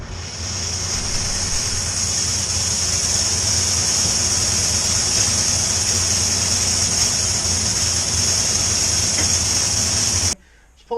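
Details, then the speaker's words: 1998 Buick Park Avenue with a failing catalytic converter and a multiple-misfire code: loud steady hiss and rapid puffing from the running engine, after the exhaust gasket between the converter and the downpipe blew out while driving. "actually blew the exhaust gasket in between the cowlick converter and the down pipe and blew that gasket out so then it didn't even have a power to flow up on the ramps which you can hear the horrible air leaking"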